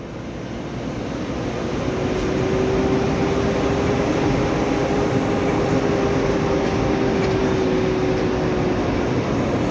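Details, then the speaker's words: Mitsubishi Canter Euro 4 SHDX truck on a test drive: steady fan-like droning hum over road noise under throttle, yet the truck still pulls with power; source not yet identified. "kalau saya dengar kan ini muncul suara bengong ya kayak kipas tapi tenaganya ini masih loh masih bisa jalan"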